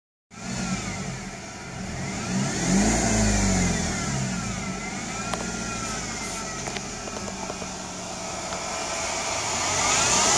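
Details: BMW E90 320i running: thin whine over the engine rising and falling with revs; suspected pulley or alternator bearing, check by removing belt drive; unconfirmed.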